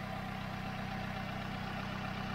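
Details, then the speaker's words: Auction car with a dead battery, started after checks showed coolant and oil levels correct and a clean engine bay: a steady, even, smooth low idle with no knocks, misses or ticks and no smoke from the exhaust. Normal, healthy idle. "that sounds really sweet to me guys smoothies are light"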